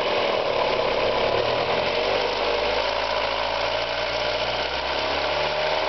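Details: Mazda Miata engine running: fast, light, irregular tick of roughly two per second over a steady hum. It ticks from 1000 to 3500 rpm and fades above 4000 rpm; the owner suspects a lifter (HLA), rod knock or bearing; source undetermined.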